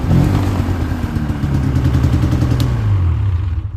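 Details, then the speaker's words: Polaris Indy 600 snowmobile at first start: rough, uneven revving with a lumpy beat and clatter, running on only one cylinder; suspected fouled plug; main issue later found to be a plugged fuel filter. "uh yeah it sounds like this thing's only running on one cylinder here uh that ain't good either"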